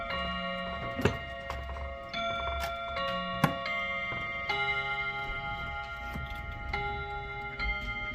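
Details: Chiming clock after its first service: steady tick with a run of clear ringing chime notes striking cleanly on the hour; keeps time, may need adjusting; normal hourly chime.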